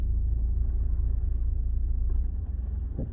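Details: 150,000-mile Audi A4 2.0 TDI, flywheel already replaced, out of drive: low, even diesel idle rumble with a steady beat, no knocks; normal, though owner reports vibration, side-to-side wobble and a knock pulling away in drive.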